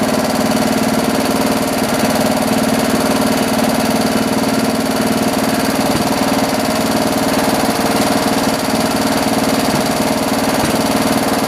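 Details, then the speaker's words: John Deere 112 round fender tractor with a Kohler K181 single-cylinder, after governor and throttle assembly adjustments: a steady, even beat at fast idle with no hunting, the governor holding speed. Running normally; the owner thinks the idle needs lowering. "got it running again let's try it out this time [Music] [Music] so cool i think we need to lower the idle a little bit"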